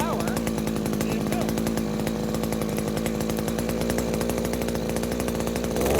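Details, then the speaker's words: New Henghai 2.5 HP air-cooled Chinese outboard, first start out of water, on choke: small two-stroke buzzing at fast steady idle; it stalls when choke is fully opened, owner suspects it wasn't warmed up enough yet. "She shuts right off when I go to full open choke. Okay, maybe she just wasn't warmed up enough yet."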